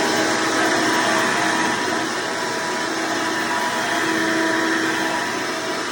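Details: Hoover Elite vacuum owned since May 2024, bearings greased, after replacing the 7-blade fan impeller with a 20-blade upgrade: steady high motor whine with even air rush, no rattles; noise reduced but still somewhat loud; normal running.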